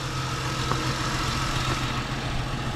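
Steady, even low hum with no knocks, misses or squeals; the engine is idling smoothly and sounds healthy.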